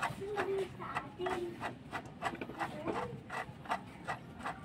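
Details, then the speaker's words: 2012 Suzuki Alto K10, old water pump turned by hand before replacement: dry rasping scrape with a faint squeak, about three per turn-second, uneven; noisy worn water pump bearing, new pump spins silently. "Ayun, papalit ako ng water pump kasi maingay. Gumaganon. Ito yung tunog nyo."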